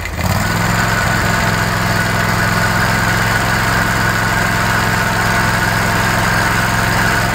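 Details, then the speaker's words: Kawasaki FH601V engine on a 1700-hour Scag Tiger Cub mower that revs too high: a metallic clank at idle on every beat; owner says it is not rod knock but a worn plate that mimics it. "hear that clanking it's not rodnock every one of them i've seen this wears out it just where's that plate makes you think you got rod knock"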